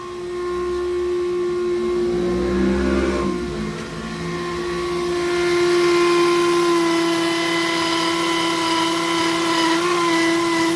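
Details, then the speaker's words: Toyota Corolla Altis single radiator/condenser fan motor, engine running with AC switched on; loud steady high jet-like whine with droning edge; worn fan motor bushings letting the armature wobble. "Ini suaranya kencang banget. Coba kita lihat ke ruang mesin. Apa yang terjadi? Waduh, kayak mesin jet nih."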